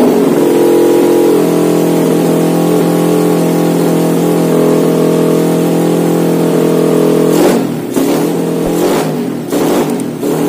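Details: Honda Win motorcycle with Vega engine and a freshly installed, untuned PE26 KW carburetor: smooth steady idle that rises cleanly on several throttle blips near the end, no stumble. Engine runs healthy.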